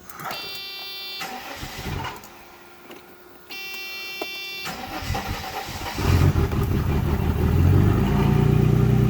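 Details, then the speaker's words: Mercedes 300CE that had not run in over 5 years, fuel pump relay jumped and throttle plate pressed to prime the fuel distributor: quiet cranking and clicks, then the engine fires and settles into a steady, strong run with some revs; normal start. "alright let's test it out fuel pumps running fuel in the field shiver hear it now it should fire up"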